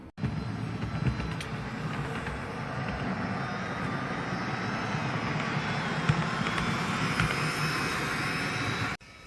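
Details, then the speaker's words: Dapol B800 track cleaning wagon hauled by a heavy diesel, Hoover attachment after four or five laps: continuous rushing whir with low rattly rumble over wheel clatter, sounding laboured and overused; vacuum motor straining, dust basket found heavily filled. "now I've gone round probably four or five times now at the Hoover and it started to sound a bit a bit overused"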